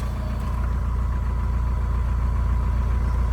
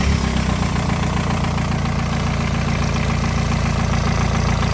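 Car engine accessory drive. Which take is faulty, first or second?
first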